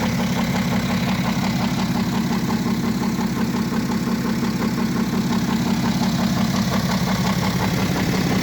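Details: BMW F07 535d xDrive GT diesel with engine damage: idles with a steady clattering tick, roughly two per second, over a rough low drone; internal engine rattle, cause unclear.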